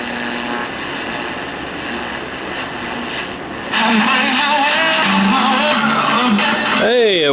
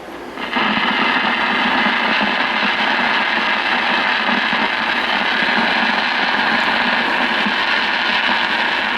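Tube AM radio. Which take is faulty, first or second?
second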